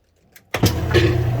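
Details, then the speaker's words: Kenmore 80 Series washer after broken motor coupler, motor swapped from matching machine: motor kicks in and drum spins up to steady even low hum, no knocking or grinding; healthy spin. "Right on. Just give it a moment to get up to speed. See that? You can fix it too."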